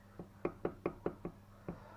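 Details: ZAZ Tavria: sharp knocks about five a second over a low idle hum, with an occasional skipped beat; engine knocking at idle, cause not yet found.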